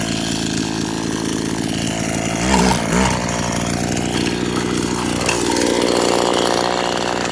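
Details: Vintage Echo SRM-200BE two-stroke string trimmer, warm after use, carburetor jets adjusted all day and close to right: raspy buzz at fairly even speed, rising briefly and settling back; runs cleanly, normal running.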